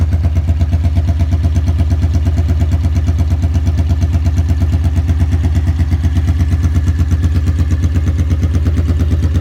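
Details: 1982 Honda Magna V45 VF750C V4, cold start after an oil change to 15W-40 with a K&N filter, choke held open with a zip tie, warming up to free stuck clutch disks: steady, even idle, about three beats a second, no knocks or misses; normal cold idle.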